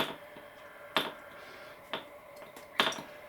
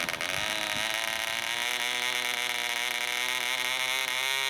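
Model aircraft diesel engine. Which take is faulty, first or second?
second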